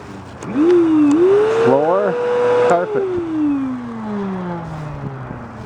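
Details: Kenmore canister vacuum motor running with the jammed brush bar disconnected: whine climbs smoothly to a steady pitch, holds, then winds down evenly, no grinding or rattle; motor healthy with good suction, brush bar not spinning.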